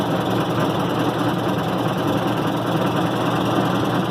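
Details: 1990 Maytag LA211 washer on spin cycle: steady loud rumbling groan, no rhythm or pitch change; belts, brake and brake-spin bearing already replaced, drive or tub source still unknown.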